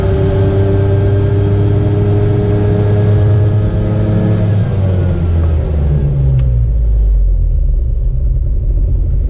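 Small two-stroke buzzes hard under revs, then falls away with an uneven, rattly tone; something's off, cause not clear.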